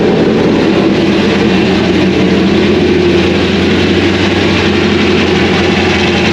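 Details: 2001 Trans Am WS6, 500hp LS1, first start since engine-dyno break-in, untuned with stock injectors and mass airflow sensor, GoPro audio: a rough, loping V8 idle with uneven big-cam rumble, running steadily with no mechanical noises.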